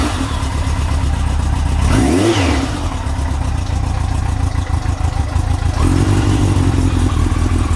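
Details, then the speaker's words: Yamaha XJ900 Diversion, carbs upjetted to 102.5 main jets, running a bit cold and without choke: the inline four catches, blips up through the revs and settles back, pulling clean with no stumble or popping; it runs better after the rejet. "That sounds better. So without choke."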